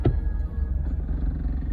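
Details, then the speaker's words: Honda after an interstate accident, first test drive after installing a new exhaust with new bolts, springs and hardware: deep steady low rumble while driving, no puffing, ticking or rasping; exhaust sealed, no fumes in the cabin, only new-exhaust smell. "You still smell the um new exhaust, you know, getting that temp. But other than that, it's it's good. No exhaust, you know."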